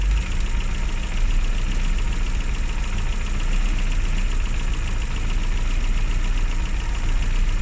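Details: Classic Mini (Riley Elf) with points ignition, idling after a hard cold start on the year's coldest day, following about three months unused: steady low, even idle with deep rumble, no knocks or misses; runs smoothly.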